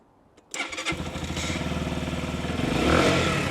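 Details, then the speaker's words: Keeway RKR 125 motorcycle, 6,430 miles, after fitting new spark plugs and using a booster pack: it cranks, catches within a second and settles into an even single-cylinder putter, slightly hesitant; a normal start and idle. "come on ah yes she's running right then running sounds like it's R all right as well it's a bit hesitant I think"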